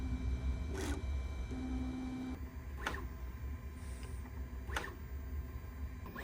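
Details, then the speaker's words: Bambu A1 Mini 3D printer during initial setup motor noise cancellation calibration, testing different speeds (around 250) on Y and X axes, X axis a bit louder; steady motor hum, held tones and carriage sweeps about every two seconds: normal calibration noise. "calibration process is very interesting it's doing motor noise cancellation testing"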